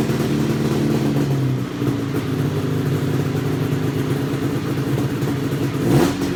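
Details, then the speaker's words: XC 700 two-stroke revived: busy burble at a fast steady smoky idle with a brief blip near the end; runs clean, cables to be adjusted; high idle. "well it's timely a little high eyes burn it's a little thick in here step outside it's adding a little high but it sounds good to stroke smoke baby"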